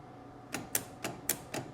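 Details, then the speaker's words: 1961 Cadillac DeVille power seat motor driving speedometer-style cables, operated from the door switch: sharp paired clicks with no motor hum, motor never turns and is arcing; power seat motor clicking without turning. "Now, the controls for that are right on the door here. And if I push that, you can actually hear it click, but it does not it does nothing to these"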